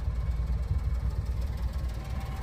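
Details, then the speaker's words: 1993 Honda Street 4WD van, carbureted three-cylinder, warmed up, needed a touch of gas on the warm start; steady, even low putter with no knocks or misses, idling smoothly: normal idle. "so sometimes you have to give it just a tiny bit of gas on the warm [Music] starts yeah and then as you can see idles absolutely"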